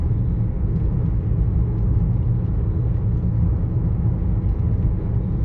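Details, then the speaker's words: Car interior, windows up, budget RoadX tyres on coarse chip-seal road before Continental CC7 swap: steady deep rumble at cruising speed, nothing above it; tyre or road roar, cause suspected. "don't know if you can hear that there's definitely rumbling away there"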